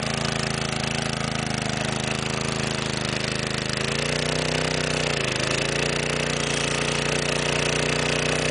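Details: 1961 McLane edger small single-cylinder engine, cold start after long sitting, choke used, low on gas: steady fast-idle buzz, pitch sagging briefly then recovering; runs unevenly and dies during edging runs when low on fuel.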